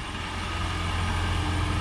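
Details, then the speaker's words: 2007 Toyota Prius running just after a muffler replacement: a low soft hum with no rasp or rattle, far quieter than before. Normal exhaust. "freaking Dead Silence I can't believe how nasty that used to sound hell yeah sweet way way way quieter"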